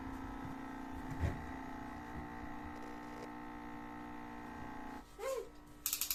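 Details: Two-year-old American Home personal refrigerator: a steady low drone with a higher tone over it, then handling knocks. The loud humming is likely vibration, to be damped with a slipper.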